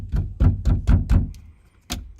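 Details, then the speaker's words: Mercedes E-Class W212/S212 estate door struck: five deep thumps, each trailed by a tinny metallic clatter, also heard with bass music and door slams; the loose internal door brace rattles, and the noise stops when it is wedged. "So Jungs, E-Klasse W212 bzw. S212 Kombi. Wenn ihr das Geräusch habt, dass die Tür so eklig klappert, so."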